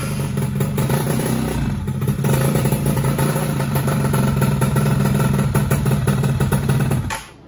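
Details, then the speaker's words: Freshly rebuilt two-stroke engine on first start with the old small CDI fitted runs roughly with an uneven, clattering, stumbling "ngok" beat; owner suspects main and pilot jets too small, and it ran much better after the needle was re-set. "Ngok guys, kayaknya kurang gede ini main jetnya. Pilot jetnya kurang gede kayaknya."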